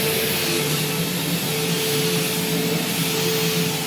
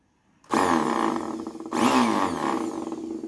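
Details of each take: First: Bissell CleanView Swivel Pet bypass vacuum: loud, steady high roar and constant hum winding down smoothly at switch-off; loud but working normally. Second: Bissell CleanView Swivel Pet upright vacuum, cleaned up: motor starts with a harsh rough grinding roar like a chainsaw; brush roll is worn out and needs replacing.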